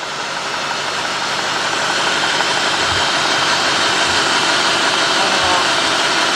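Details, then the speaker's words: 2003 Cadillac DeVille 4.6 V8, warmed up, with rough running, surging and codes P0300, P0171, P0174, P0101 and P0404: a steady airy hiss over a slightly uneven idle that gets worse when put in gear. Vacuum leak, from the intake manifold gasket. "This is not that bad. I mean, I hear it's running a little rough. I'm going to put it in gear. Oh, wait a minute. That got a little worse. And I can actually hear air more."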